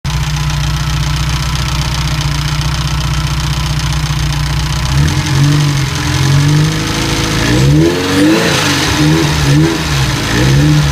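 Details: Ferrari 308 QV V8 idling then blipped, light ticking over the engine note while revving; ticking began after a major service, many possible causes found and fixed but the ticking persists.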